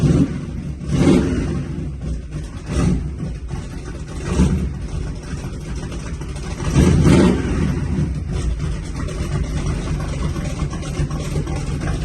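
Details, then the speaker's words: Four-cylinder engine in another shop: crisp throttle blips rising and settling back to smooth idle, no knocks, rattles or misfires; normal, good-sounding engine. "good there it is that's a good sounding rig"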